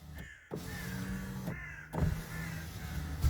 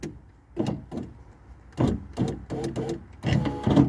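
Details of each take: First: Power window after an attempted repair of the broken window regulator: a low, smooth motor hum runs evenly for about three seconds with no grinding or clicking, so the window now operates very quietly and normally. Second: Power window motor struggling to raise the window, giving short, strained, uneven whirring bursts while the window labours and won't travel up; sticking window regulator suspected, a new regulator being considered.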